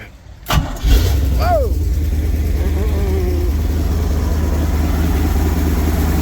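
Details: 1974 Lund Tempest II GT jet boat, 1974-dated V8 block with Fury heads, OMC exhaust manifolds, electric fuel pump, a little finicky to start: starter cranks briefly, then it catches and settles into steady, even low idle rumble.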